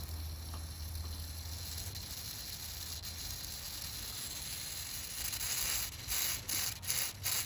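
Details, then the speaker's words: Cooling system vacuum-tested cold with a vacuum bleeder: faint airy hiss with sharper bursts as a part is rocked, air leaking through a loose solder joint; the leak likely would only show when hot under highest pressure. "there it is looks like a solder got loose of course means that it's now possible leak point"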